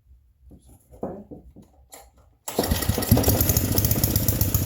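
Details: Vintage generator, after cleaning and finding stripped, loose bolts: fires and runs hard at a high, busy pitch; owner feels it runs faster than it should, no generator output, suspects a ground; cause unconfirmed.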